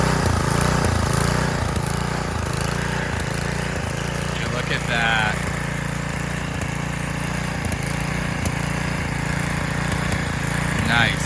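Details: Roadside Garden Machines edger, 3.5 hp Briggs flathead, air filter cover missing: after a restart it settles into a steady, even putter with no misses or hunting, a healthy idle.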